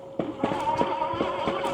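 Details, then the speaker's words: Aniioki A8 Pro Max dual hub motor e-bike ridden off-road: sharp clunks about every half second over steady motor whine; rider suspects the front forks knocking on rebound, not bottoming out, unconfirmed. "Still hear that knocking noise, which I believe is the forks. I'm not sure. It's not them bottoming out. It's like when it rebounds up, it makes that noise."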